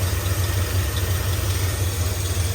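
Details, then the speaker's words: 1978 Ford F-350 parked 11 years, with new plug wires and the carburetor needle now working: deep, even idle pulse firing steadily with no skips; the V8 runs smoothly without a misfire. "they put brand new plug wires on it doesn't sound like it's missing Idol's coming down a little bit"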